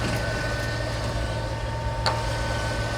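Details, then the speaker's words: 1970s crane truck, over 50 years old, sat over a year; steady low idle with Corvette muffler, even faint whir of the hydraulic pump on top; runs good, normal idle, burning off a little oil. "My goodness, she runs good. Listen to her. I can hear the hydraulic pump."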